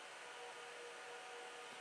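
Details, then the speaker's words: HP DL360 G7 server booting the Proxmox installer from USB: steady, loud, even airy rush of fans spinning hard during startup, no rattle or whine; normal loud fan noise at boot. "you might hear the server in the background it will go quite loud"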